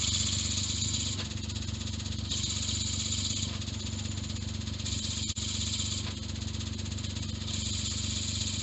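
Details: Suzuki Jimny JB23 at 170,000 km: harsh continuous grinding rasp with faint rattle over engine hum, began after rev-matched downshift; noise also with clutch engaged and pedal pressed; owner suspects clutch disc or cover and release bearing.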